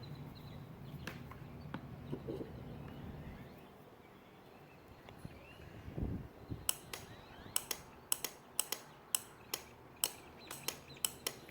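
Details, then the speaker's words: New relay from a 2021 Prowler trailer's Atwood water heater, coil bench-fed 12 volts from a battery: sharp, crisp single clicks about every half second as the coil is energized and released; the relay switches cleanly and works. "And that's the switch opening and closing when you hit it with 12 volts. So, we know it's working."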